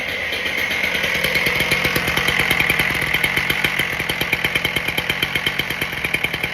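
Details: Husqvarna K770 cut-off saw after its carburetor soaked five days in brake cleaner, a hole that stopped it pumping was found and a new spark plug fitted; started on choke, it gives fast, even two-stroke popping at a steady high idle, running cleanly.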